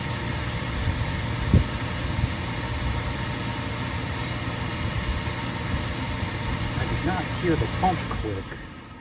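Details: Oil-fired boiler that stopped after an oil delivery, after pressing reset: steady motor hum with no pump whine or flame roar, burner motor spins but doesn't light; dirt stirred up clogging filter or screen suspected, not confirmed.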